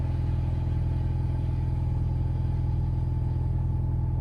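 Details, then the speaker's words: Alfa GTV running after a fuel pump swap. The new pump is much quieter, though the running note is described as quite high pitched. A low, even idle rumble with a steady beat, no knocks or misses: normal idle. "okay it's quiet now i can hear it running it's quite high pitched it's uh that was a good start though that run well"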